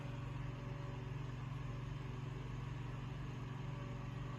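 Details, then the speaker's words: Room Essentials Velocity F-0411 single-speed desk fan, made March 2011: even, low steady hum with a soft airy whoosh, no wobble, rattle or vibration; runs smoothly, normal running. "turn it on it gets right up and goes it's got some zoom to it makes a typical fan noise but no like vibration or anything"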